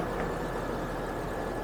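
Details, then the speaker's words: 2007 Hummer H3 manual, 3.7L inline five, 150,751 miles, running again after running out of gas and re-priming the fuel pump: a steady, even idle heard under the hood, with no ticks, knocks or misfires and no check engine light. "3.7 liter inline five running well as you guys saw no check engine lights and no misfires just was out of gas and had to prime the pump again not hearing any noises"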